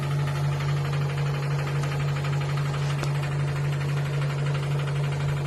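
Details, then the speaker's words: Cecotec Bolero Dresscode 9500 Inverter 9 kg front-load washing machine, 1400 rpm: strong steady low drone with fast regular tick about four per second; nothing rubbing, started today, owner suspects a loose screw inside, cause unclear. "Ha empezado a hacer ese ruido hoy y es una locura. Una locura. Como si un tornillo estuviera suelto por dentro."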